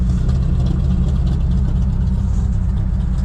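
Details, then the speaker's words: Engine with cracked carburetor leaking fuel from the crack and one side: fast, steady idle with a deep drone and slight unevenness, some fuel stutter, too much air getting in; idle screw turned all the way up; new carb needed. "So that's how she's idling, because she's pissing fuel out that crack, and she's pissing fuel out the one side."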